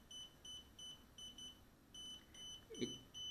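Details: DJI Spark remote controller beeping sharply and constantly, two to three times a second, starting about 15 seconds after power-on; LED alternates red and green, signal barely acquired, calibration impossible; not a connection or calibration issue.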